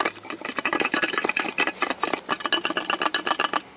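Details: 2002 Chevy Silverado 5.3, one of its two catalytic converters, the insides broken loose: fast, tinny metallic rattling in uneven bursts, like loose parts shaken in a can; at first it seemed to come from the transmission.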